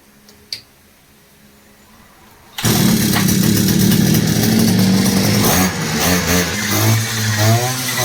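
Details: Two-stroke brush cutter that wouldn't start after sitting, after replacing perished fuel pipes, fuel filter and primer pump: quiet, then it catches and buzzes at a high, fairly even pitch with slight flutter; runs normally.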